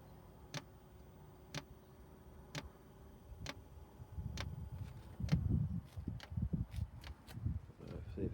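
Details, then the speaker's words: Chinese 5 kW diesel heater starting up, with glow plug on and excessive smoke at start: crisp even ticks about once a second over a soft fan hum; the fuel pump is clicking normally. "there sounds like there's a fan working inside there let the pump's starting"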